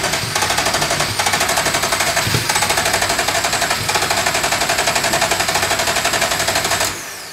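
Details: Ferrari engine in an Alfa 105 (Alfarrari), start attempt with oil, spark and injectors working: starter cranks steadily about four per second with occasional coughs but no catch; cranks without starting.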